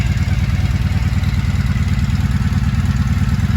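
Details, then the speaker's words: 1983 Honda V45 Sabre VF750S, 25,868 on the clock, new battery, fuel leak fixed, temperature gauge at one bar: a steady, even low burble at idle with a smooth regular pulse, no knocks or misses, a healthy V4 idle. "This bike's pretty solid now. Hear that soft purr?"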